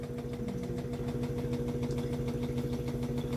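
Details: Samsung Inverter top-load washer WA15J6750S, 2 years old, that would not finish its program; new shock absorbers already fitted. Rhythmic thumping about twice a second over a steady motor hum on spin. The washer is not level and rocks on a short leg, shimmed with paper/wood.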